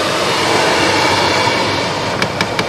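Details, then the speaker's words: 2010 Chrysler Town and Country minivan HVAC: steady blower rush, then sharp repeated clicking with felt vibration from behind the dash. The failing blend door actuator, reached through the glove box, was replaced. "clicking i reach back in there in my hand i can actually feel it vibrating back in there so that one's bad"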